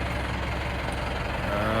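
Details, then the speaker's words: Chevy K30 squarebody with a 4BT Cummins diesel swap and NV4500 five-speed, after a 20-mile test drive. A steady, low diesel rumble with slow, even firing and no misses. The idle sits a little low and the owner plans to raise it; otherwise it sounds good. "but I don't know if you guys can hear it the idols a little low I'll adjust that some but that's what it sounds like it sounds pretty good actually"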